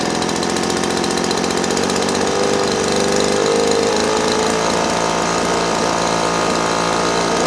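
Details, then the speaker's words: Small two-stroke engine carburetor tuning, idle mixture screw turned in from rich: buzzy idle drone whose pitch creeps upward as mixture is leaned, stopping at highest idle speed; idle rising as mixture is leaned. "when it gets to its highest, I'm going to stop. Alright, so we're good there."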